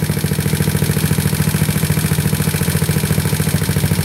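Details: GY6 scooter engine (150cc with 61mm big-bore kit, A9 cam, free-flow exhaust) on a 24mm PD24J carb jetted 35 pilot/108 main. Warm, steady 1800 rpm idle at about 14.7 AFR. Even quick putter, no misses or surging: normal idle.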